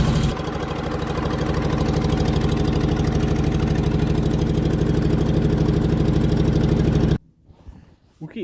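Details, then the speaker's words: Onan generator, first start after sitting, fired right up on battery strapped to solenoid: uneven chuffing idle with steady stumble and sharp exhaust puffing; far cylinder not firing and major exhaust leak at the intake manifold gasket, needs gaskets. "the far cylinder is not firing this thing needs some gaskets big-time I got major exhaust leak at the intake manifold"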